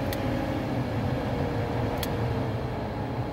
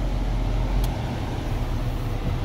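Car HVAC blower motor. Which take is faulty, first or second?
first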